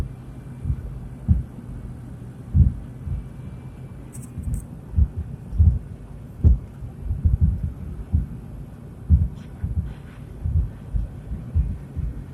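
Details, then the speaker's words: 30-year-old 1996 Oldsmobile Bravada driving on a smooth back road: dull deep clunks about once a second, seeming from the left side; owner suspects a broken shock or motor mount. "I'm hoping it's a shock. Sounds like it on the left side. I hope it's not a motor now."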